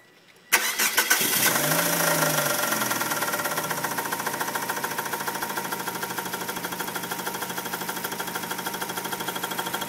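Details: 1999 Kia Sephia petrol engine cranks, starts and idles with a steady rapid knock that began after the same starter was removed and refitted; cause unknown.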